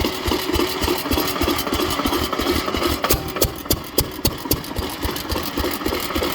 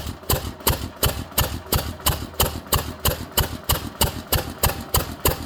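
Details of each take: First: Witte 5 hp engine after a cold start, at slow idle before shutdown: sharp metallic knocks about three or four per second following each firing; owner identifies connecting rod knock. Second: Witte 5 hp engine, cold start with fuel drawn up to the carburetor, ignition retarded: sharp, even firing bangs about three per second with a clean exhaust beat; started right up, running properly.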